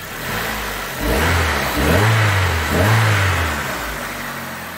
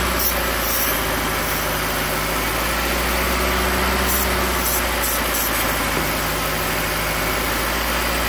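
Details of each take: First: 2008 Hyundai Accent petrol engine revving up smoothly in a few even pulls, with no stumble or misfire. This is after replacing a split intake manifold gasket that had caused a lean cylinder 2 misfire (P0302) at idle. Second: Misfire at idle on a 2008 Hyundai Accent: dead cylinder 2 with code P0302; lumpy uneven idle with brake-clean spray hisses; split intake manifold gasket leaks air, running cylinder 2 lean until ECM cuts its fuel.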